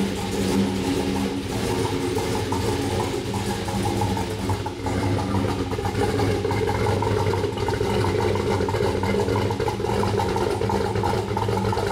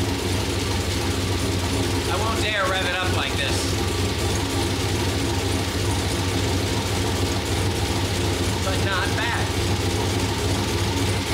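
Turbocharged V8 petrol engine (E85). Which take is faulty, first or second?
second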